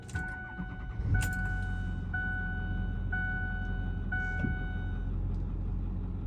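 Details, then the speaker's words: After a partial power steering flush, refill and top-off on a system with a hydroboost brake booster: smooth idle under a chime, no whine even held at full lock; the earlier steering whine is gone. "whining remember when I would hold it there we would hear wine let's go all the way to the stops very good looks like it did the trick"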